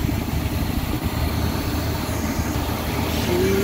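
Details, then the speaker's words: 1974 Chevy C30 wrecker with a 350 V8 idling after sitting about five years. Deep, steady burble with an even rhythm and no ticks or knocks; healthy idle. "yes that sounds good gonna have to put a little bit of gas down here sometime but she's running she is running guys five years she's been sitting five years i haven't barely touched her or nothing"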